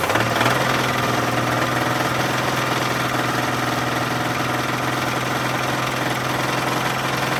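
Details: 1983 GMC S15 Jimmy 2.8L, not run in 15+ years with the passenger valve cover off, first start: rough idle with a rapid uneven metallic knock, about three to four a second; a knocking rod is suspected, unconfirmed.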